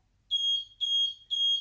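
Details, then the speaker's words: Mobility scooter just powered on with key: high piercing beep repeating about twice a second, warning that the brake release lever (yellow lever behind the seat) is engaged. "so basically it's beep in and that sequence of beeps it's telling you that the brake is on"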